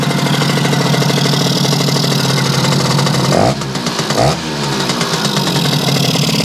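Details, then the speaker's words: Yamaha YL2C 100 Trailmaster two-stroke after reassembly and carb adjustment: fast, buzzy idle drops in two steps to a slower, steadier beat as the idle screw is backed off; idle was set too high. "see if we can slow it down a little bit. Sounds about right."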